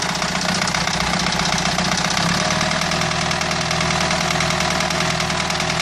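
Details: Renault 2.2 dCi diesel with rough idle and uneven knocking about one and a half knocks a second; abnormal engine knock, cause not pinned down.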